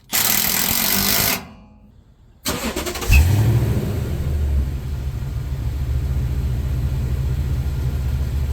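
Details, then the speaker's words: Toyota Tundra after exhaust work on a chopped aftermarket muffler and resonator delete: starter whirs, engine settles into a smooth, deep, even idle with no rattles or drone; sounds a lot better. "All right, so that sounds a lot better. And as you can see, it looks better too."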